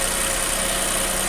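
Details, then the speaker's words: Nissan Almera, about 10 years old, after replacing one failed ignition coil with an aftermarket part: steady, even idle with a faint high hiss and no misses or knocks; engine runs normally again. "เครื่องก็เดินปกตินะครับตอนนี้เครื่องติดอยู่นะครับ"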